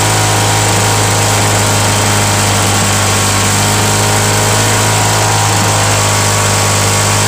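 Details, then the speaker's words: Mulching mower on cold start, non-original primer, broken kill switch held with vise grips, small gas leak: constant loud raspy drone with a harsh hissy edge at steady speed; loud because the exhaust is loose. "this one's loud but uh i'll show y'all why it's because of this um the exhaust that's on it"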